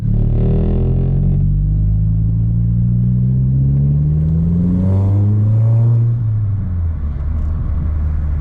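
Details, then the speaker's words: MK4 Golf GTI under full throttle: engine note climbs, stalls flat, then picks up again by itself; boost flat spot and hesitation from a sticking N75 boost control valve that would not hold boost at high revs, fixed by replacing it. "there's an obvious flat spot there car accelerates stops and then starts accelerating again all by itself and once i've got my foot flat on the throttle"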